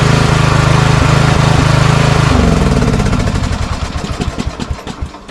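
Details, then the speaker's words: Craftsman riding mower single-cylinder engine, customer complaint of surging: putters unevenly, rising and sagging, with sharp backfire pops as it dies down. "Okay. So, there is a little bit of surging and backfiring."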